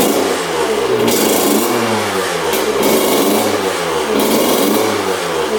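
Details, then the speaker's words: 2000 Honda CR125 two-stroke dirt bike, bought with a severe bog (disconnected power valves suspected among causes), on fresh 40:1 fuel; revs rise and fall cleanly with no misfire or bog, idle lowered from high; running normally. "going all right seems like it's running pretty good it's idling really high let's get that idle down all right there we go idling nice and low"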